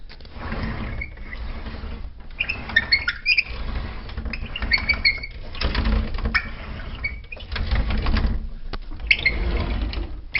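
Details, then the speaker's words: Sliding closet door opened: a rolling rumble with sharp, high squeals each time the door slides, from dry rollers in the track. "our problem is this closet door which squeaks when I say squeaks"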